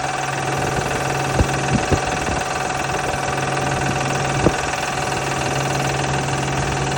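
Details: V6 Honda Pilot at idle: steady idle with an irregular light rattle and a few sharp clacks from a bad belt tensioner.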